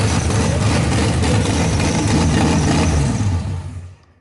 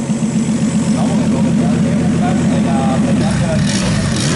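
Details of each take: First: RB26-swapped Subaru WRX, first start on Haltech ECU base map, cooling not yet plumbed: loud, uneven, lumpy idle before shutting off; not running right yet; rough running. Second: RB26 straight-six swapped into a Subaru WRX on a Haltech Platinum ECU base map, fuel ratio brought down to 12, warming with fans on: smooth clean rises and falls through several blips, no misfires; normal revving.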